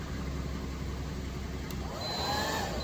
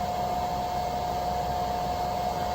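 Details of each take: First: EGSCATEE 2500W pure sine inverter on idling car via 6 ft 10 AWG jump cables, blow dryer switched to high (over 140 A DC): dryer whine dies and spins back up every few seconds as fault light trips; low-voltage protection cutout from cable voltage drop. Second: EGSCATEE 2500W pure sine wave inverter on idling car, 14.2 V battery, powering blow dryer on low (~390 W, 116 V AC, 3.3 A) plus lights and charger: steady airy whoosh with constant hum, no dips; normal running.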